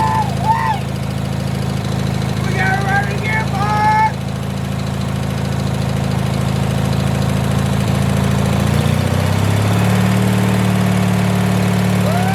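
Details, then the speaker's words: 1986 Murray lawn tractor single-cylinder engine after carburetor work and removing the choke plate: starts right away and settles into an even, low, steady idle; running healthy. "Let's see if it'll idle. Oh my god, it idles so good."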